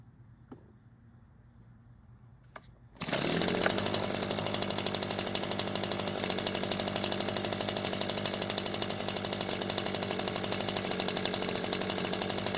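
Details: Echo leaf blower two-stroke after the stuck choke flap was fixed, with a cracked primer bulb: fires and holds a steady, even buzz without stumbling; the carburetor still leaks fuel and needs attention.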